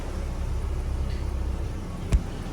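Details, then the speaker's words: Peugeot 307 SW exhaust after replacing holed pipe and muffler: steady low, smooth rumble with no blowing or rasping, one brief thump; no longer noisy as before. "jadi suaranya juga halus sekarang tidak Berisik seperti kemarin sudah oke suaranya jadi pipanya diganti yang bolong terus saringannya diganti ya kemarin berisik nih kayaknya sekarang sudah okelah sudah nggak berisik lagi"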